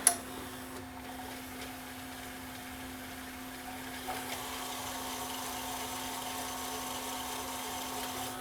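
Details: Samsung SV-5000 multi-system VHS VCR after repair: quiet steady hum from the reels at constant pitch, no squeal or grinding; full fast-forward clean and healthy.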